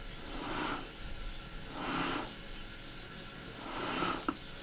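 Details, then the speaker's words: Removed old rear differential from a Nissan 180SX, turned by hand: three slow swells of rough, gritty whirring, while the replacement diff is completely quiet; worn differential bearing noise. "So Matt's going to turn this old diff and you can actually hear it when he turns."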